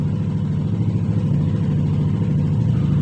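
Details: 2021 Yamaha NMAX 155 that suddenly would not start despite a 99% battery, after a blown 7.5 A signal fuse was found: smooth, even low hum at a steady pace, no stumbles or knocks; starts and idles normally.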